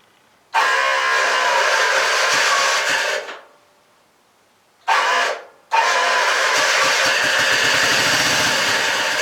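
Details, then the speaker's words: 1959 Sears David Bradley garden tractor, gas poured down the carburetor to fill the bowl: catches with a rough burst, dies briefly, fires again and keeps running raggedly on the primed carburettor; engine still runs, normal start. "well, there you go. She'll still run. That's good. That's good. I like it when that happens."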